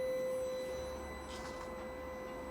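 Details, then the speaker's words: SYM Jet X 125 scooter, ignition on: a brief electric hum as the fuel pump primes normally, then stops. The no-start turned out to be the helmet-compartment lock safety switch. "Ignition comes on. Do it again. You can hear the fuel pump prime. You hear it come on"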